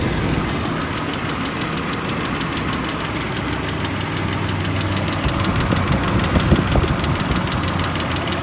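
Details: BMW E39 at idle with a fast, even ticking, about three a second, tracking engine speed and clearly audible; owner unsure of the cause, a top-end tick not yet identified.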